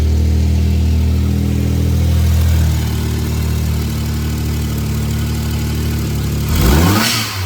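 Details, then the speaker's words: Suzuki Jimny automatic, newly installed blow-off valve, signal line teed off boost gauge line, stationary rev test: engine revs up then drops with brief airy whoosh on lift-off; blow-off valve venting properly. "Seems to be working. I can at least hear it. Need to get it out for a drive and see. This is an automatic. So we'll see if we get the same levels of blow off sounds without having the ability to kind of control it with some shifting."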